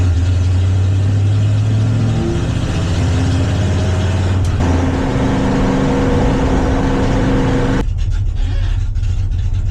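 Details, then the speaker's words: 1971 Plymouth Satellite V8 being readied for drag racing, fitted with a dual point distributor, now straight-piped with no mufflers; camera behind the car. Raw unmuffled V8 rumble rising and falling as the throttle is blipped, running healthy. "But now it's straight piped. Yeah, I'm gonna go throw this in the car real quick, do the other side, and I'll let y'all hear what this car sounds like straight piped."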